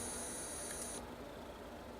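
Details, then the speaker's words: CNC stepper motor on PlanetCNC MK3/4 board: high steady holding whine for about a second, then cuts out abruptly when normally-closed limit switch setting is ticked, triggering emergency state with no 5 V input; drivers shut off as expected. "You hear that? Everything just shut off because it is now in a state of emergency, right?"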